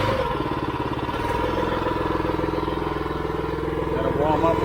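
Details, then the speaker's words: AR45 gas roof pump (pressure washing) first start-up after build, half throttle, warming up before taking off bypass: steady, even small-engine drone with smooth regular beat, no misses or knocks; running smooth, normal warm-up. "things running good running smooth liking it"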